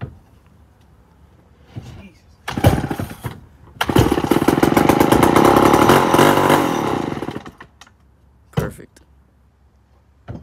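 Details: 1965 Remington Super 754 chainsaw (year not confirmed), first start after long storage, before cleaning: pull catches, then it revs raggedly a few seconds and dies; owner thinks it was probably flooded.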